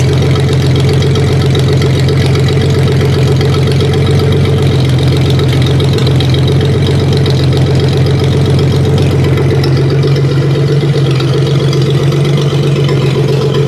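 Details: 1956 Dodge 230 flathead six on an engine stand: slow, even low rumble with steady beats and no knocks or misses; healthy idle with good oil pressure, later about 550 rpm and 50 psi when hot.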